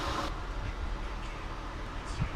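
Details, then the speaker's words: After a 2000 Acura TL with a flashing check engine light and codes P0300/P0306 was misfiring badly, reseating an ignition coil that wasn't fully pushed down cured it: the engine now idles with a low, steady rumble and no skips, smooth. "Alright, this thing's running way smoother. It's not shaking like it was."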